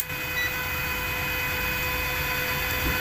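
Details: Inverter welding machine after shunt and 1K resistor replacement: steady high whine with faint cooling fan hum, even, no crackle or buzzing; idling normally.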